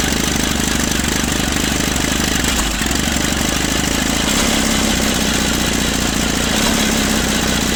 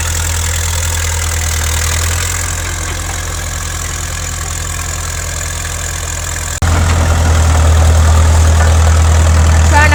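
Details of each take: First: 1950s Caterpillar D4 dozer that sat at least 20 years, on a temporary fuel line and a primer bulb feed: pony motor clatters while the diesel turns over and barely catches; the starter Bendix drive kicks out too early. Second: 1950s Caterpillar D4 crawler diesel, sat at least 20 years, started via pony motor after a temporary fix for a severed fuel line: deep, steady diesel chug that picks up firmly under throttle, no misses or knocks; normal diesel running.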